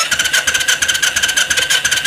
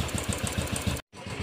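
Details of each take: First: Royal Enfield Classic 500 BS3 EFI, won't start: fast, even cranking in two long bursts, no catch, and no fuel pump hum when switched on; fuel pump not running, no current reaching it. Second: Steady, even single-cylinder thump at about six to seven beats a second on a Royal Enfield Classic 500 BS3 EFI after freeing a stuck relay that caused the starting problem. Healthy idle.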